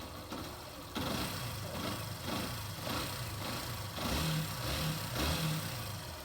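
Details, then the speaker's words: 2018 Yamaha Factor 150 idling quietly and evenly after cam chain replacement, with no loud top-end ticking or chain slap. "Isso aqui é as rodas só da campana de embreagem, a campana batendo. E ficou bem calado."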